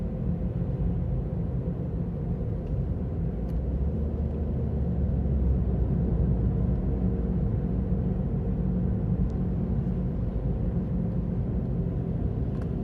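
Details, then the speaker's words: Ravon R4 (Chevrolet Cobalt) cruising: a steady low droning hum under the road rumble, with no knocks or clicks, from a worn wheel hub bearing; the problem returned a year after it first appeared. "Как гудит подшипник на Равон R4? Слушайте внимательно."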